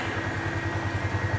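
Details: 2018 Polaris Sportsman ACE 570 after full top-end rebuild (valves, stem seals), warm idle around 192°F awaiting fan: steady even single-cylinder thump with radiator fan whir behind; smooth, normal healthy idle.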